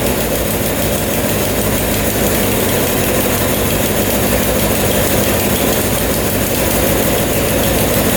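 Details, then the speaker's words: 1979 Suzuki LT500 Quadzilla quad with 750cc swap, new battery and reconnected coil wire, running with a loud, steady drone, no popping or stumbling; exhaust gaskets sealed, normal running. "all right that sounds a lot better check the exhaust gaskets those look pretty good all sealed up"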